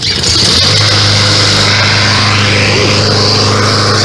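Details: New Yard Machines 21" mower with 163cc OHV Briggs & Stratton engine, first start out of the box with bag fitted: strong, steady full-throttle drone, even pitch, no knocks or misses; runs smoothly and sounds powerful.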